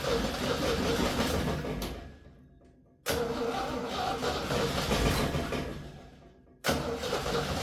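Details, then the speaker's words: 1966 Jeep CJ5 after rewiring the ignition to cure a spark/short issue, gas poured in: repeated cranking bursts nearly catching, then it starts; coil and wire not heating, plug wire broken, fuel system still to hook up. "She's close. And just like that, she's running."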